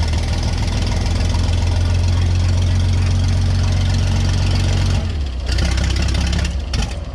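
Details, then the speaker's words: Vintage Scoopmobile LD5P articulated loader, thought to be late 1940s–early 1950s, running after at least 15 years sitting, choke in use, coolant status unknown: catches and settles into steady loud low drone with even beat; runs on its own. "Try to keep, try to keep it running. Yep. Go again. Yeah, we got a runner."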